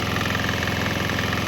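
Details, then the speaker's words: Swan X 165F Chinese single-cylinder diesel restarted on nearly straight used canola (fryer) oil after draining a diesel mix; even, rapid diesel clatter at a steady beat, no misses or surging; normal running. "Right now it's pretty much straight canola, so we'll get a couple minutes to see how it runs."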